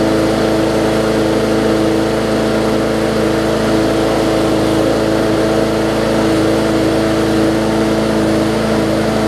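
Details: Bolens push mower with Briggs & Stratton engine, after no-start repair (bad fuel): steady even drone, constant pitch, no stumbles or surging; runs smoothly.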